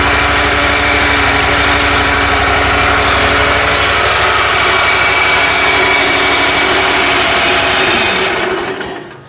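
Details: 27 hp Kohler riding mower engine after no-spark fix (ignition coils and magnet cleaned with sandpaper): steady, even idle, no misses or knocks, then shut off near the end; runs healthy.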